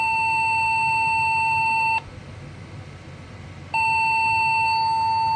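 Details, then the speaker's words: Local custom Pentium 3 cartridge PC after reseating CPU and swapping RAM: long, steady high beeps about two seconds each with short pauses, a repeating POST beep code; cause not confirmed. "and see what we get success we get a beep code"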